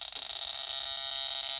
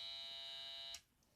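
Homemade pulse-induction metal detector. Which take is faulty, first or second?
second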